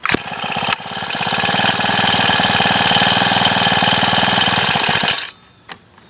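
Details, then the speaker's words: Honda FG110 tiller, smallest 4-stroke engine owned, not warmed up ("these 4 cycles don't like the cold"). Runs a steady, even, fast chug for about five seconds, then shuts off. Normal running, cold. "Yeah, these 4 cycles don't like the cold. Yeah, you get the point. I'm not going to sit here all day and let it warm up, but It's a cool little tiller."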